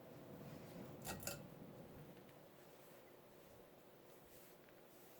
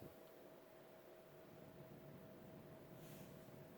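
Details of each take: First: 1984 FASCO Charleston 2nd-generation 38-inch ceiling fan, model 438, with FASCO stack motor: a quiet, even hum on medium speed with no rubbing, ticking or rattle; runs smoothly, with slight wobble after balancing. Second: Vintage 1984 FASCO Charleston 2nd-generation 38" ceiling fan, model 438, running high speed in reverse: thin steady high-pitched motor whine over soft air rush, louder than in forward; fan also wobbles.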